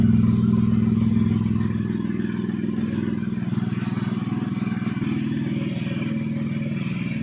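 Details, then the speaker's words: Japanese AVY turbo engine swapped into a red Perodua Kancil, idling steadily and smoothly with no knocks or rattles, with the cooling fan on during an extended run of about half an hour; healthy idle. "Okey ah kita on kipas. Okey keeper dah on. Enjin enjin oke enjin cantik ah. cantik."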